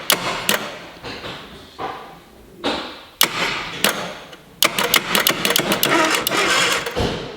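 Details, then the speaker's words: Mk1 Mini Moke engine seized from sitting, starter motor forcing it over: slow, uneven strained cranking bursts with sharp clunks; seized engine. "So, the motor was seized from sitting. However, the starter motor had just enough jam to crank it a little."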